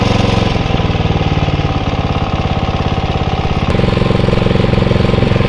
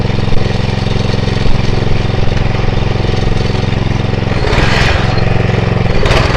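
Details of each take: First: Atco Royale B24E cylinder mower single-cylinder engine after carb clean: steady even beat, revs sag briefly as drive takes up then recover cleanly; holding speed under load. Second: Atco Royale B24E cylinder mower single-cylinder engine, before carb clean: steady beat, then surges and sags as load comes on; hunting, cutting in and out from a dirty carburettor.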